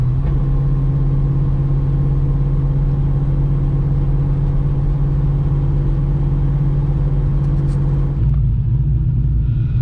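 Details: 2003 Ford Mustang Mach 1 driving after the rear axle repair. The bent axle was straightened to 2 thousandths of runout and refitted with C-clip eliminator bearings. A steady low driving rumble with no rhythmic womp rising with road speed; the rear axle sounds normal.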